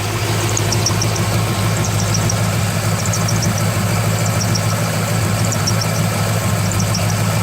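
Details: 2003 Corvette Z06 V8 at idle: high chirping squeak several times a second; began about thirty seconds after fitting a new main belt, main tensioner pulley checked fine, AC belt, idlers and harmonic balancer next suspects; source not found.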